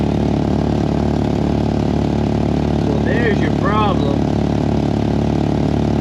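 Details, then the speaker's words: Mk4 VW 2.0 wagon at idle, car on jack: quick, fairly even puffing tick about three per second on the exhaust note from the leaking stock resonator, not the downpipe U-clamp. "So, as it turns out, that U-clamp is fine. The stock resonator, on the other hand, is really leaking."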